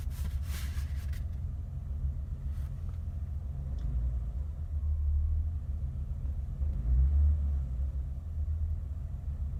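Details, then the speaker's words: 1988 BMW 325 sedan, cold start idling as temp gauge rises, not driven for a few days: low steady idle rumble with an even beat, nothing ticking or knocking; idles normally. "Lights, no weirdness. She just idles like she should."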